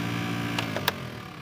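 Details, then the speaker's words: Maruti Suzuki Swift AC blower motor (left side) makes a low hum with sharp ticks and clacks when switched on, with weak airflow; suspected debris caught in the blower. "इसकी जो blower motor है वह आवाज कर रही है blower अपन जैसी चालू करते हैं वैसी आवाज आने ग जाति है और हवा भी कम ए रही है इसके अंदर यह आवाज आने ग गई है"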